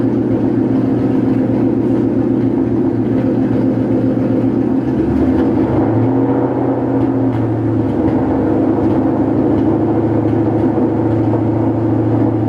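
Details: 2013 Mustang GT V8 idling after all plugs were replaced with NGK: lumpy idle with irregular stumbles and dropouts, so the misfire persists. Coil packs are the next suspect; cause unconfirmed.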